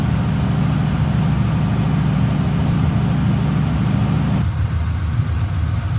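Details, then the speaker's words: 1950 Ford Custom Deluxe Club Coupe flathead V8, 6-volt system, hood open after a 3-4 mile drive, brought down off the higher idle: low, soft, even burble, idling nice and smooth with no misses, knocks or ticks; normal idle. "Got it off that higher idle. Idling nice and smooth."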